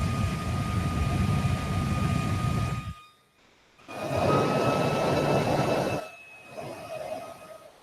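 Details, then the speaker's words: Prusa MK3s Duet 2 printer build: a fan runs with a loud air rush and a steady high whine that cuts off and returns. It runs normally. "That, this is what a 6,000 RPM fan sounds like. From this is a Delta."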